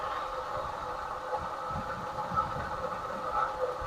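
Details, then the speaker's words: Rescued 1979 Lincoln Continental idling after swapping in a new 2-barrel carburetor and freeing a stuck choke: smooth idle over a steady rough whirring drone from the worn old water pump, replacement planned. "Ah, choke was stuck. That water pump sounds miserable."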